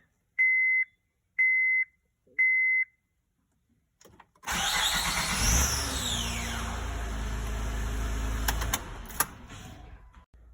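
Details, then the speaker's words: 2006/2007 Honda Odyssey V6 cranking after the warning beeps: a harsh, whirring crank with a falling high whine as the engine catches; the starter is suspected and was replaced. "I believe it is starter. I will replace it if the noise is going to be gone."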